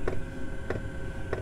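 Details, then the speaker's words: Chinese diesel heater fuel pump in a camper van, wrapped in insulation to quieten it, which made it louder: sharp ticks about every 0.6 s over a low hum; normal dosing pump ticking. "that's how not to make your pump quieter it's quite a this actually makes it louder"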